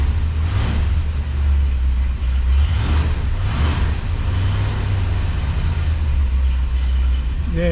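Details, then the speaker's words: 1966 Ford Galaxie 500 convertible V8, cold start after sitting 6-8 weeks in very hot weather: deep, uneven rumble with loose surges while warming; owner suspects gummed carburetor or bad gas; smoothed out after about five minutes. "it hasn't been started in 6-8 weeks so we'll get it cranked up and go for a little ride well let's see how a cold start is after it's been sitting here forever"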